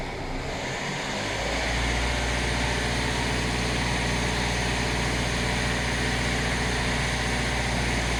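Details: Hyundai i40 CRDi diesel with power loss and high fuel consumption. It idles evenly with a steady airy hiss over the clatter; a possible vacuum leak, unconfirmed.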